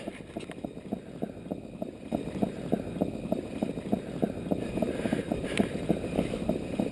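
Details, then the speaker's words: Underground downspout/yard drain line with the drain cable run as far up the line as it will go: dull, regular knocking about three times a second heard at the ground as the cable thumps at the blockage, used to pinpoint where to dig. "Now that I have the cable up the line as far as it will go, I'm going to go listen to the cable in the ground to pinpoint where the problem is located."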